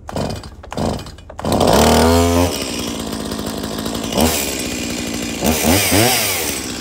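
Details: Stihl MS170 chainsaw after fixing a shut-off switch fault, with a new plug, air filter, fuel filter and fresh fuel: a few pulls, then it catches and revs cleanly up and down with a crisp buzz; running properly.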